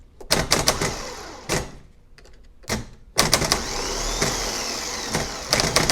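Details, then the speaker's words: Used gear-reduction parts starter for a 1990 Jaguar XJS V12, bench-tested: sharp clacking as the drive kicks out, then a thin rattly whir that never builds RPM; abnormal starter, judged junk. "That doesn't sound good. The drive kicks out, but it's not developing any RPM. So I'm thinking that one's junk."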